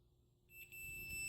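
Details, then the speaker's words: Davemade 16-pill amplifier under repair, continuity check on the splitter's twisted wires: silence, then a steady unbroken high beep once the leads touch, showing the RF path splits correctly. "See how we're getting a connection now? That means that RF can now come through and be split off into these two."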